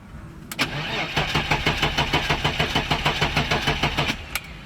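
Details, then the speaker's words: 1988 BMW 325i E30 with M20B25 engine after six years sitting, battery connections redone, fuel gauge showing empty: even cranking about three turns a second for four seconds with no firing; turns over but won't start, likely lacking fuel. "Wow well it it turns over that's a pretty good start"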